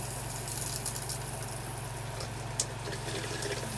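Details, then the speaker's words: Geo Pro 19FBS RV water pump after filter check/change for low pressure and pump running on; low, steady hum under rushing water, no surging, shuts off within seconds of closing tap; normal water pump run. "you can hear that pump run and it shut off right away just after a few seconds so that's how the system should run"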